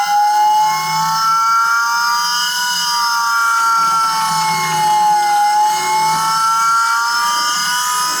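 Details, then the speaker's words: Volvo-engined car, newly fitted cheap eBay electric-driven hydraulic power steering pump replacing the mechanical pump, test on small battery: loud siren-like whine rising and falling slowly; pump works but battery can't sustain it, owner hopes battery not pump. "I'm not sure that's right. Sounds like an aeroplane. Alright, I think it does actually work, except that that battery is obviously not man enough to keep that going full time."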